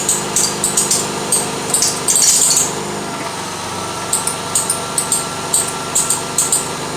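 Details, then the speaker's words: 1992 Lexus ES300 idling with front squeak; sharp chirps about three a second and longer squeal as the steering is turned, from a loose rear power steering belt. "oh yeah it's a loose belt so it's the belt inside that is loose"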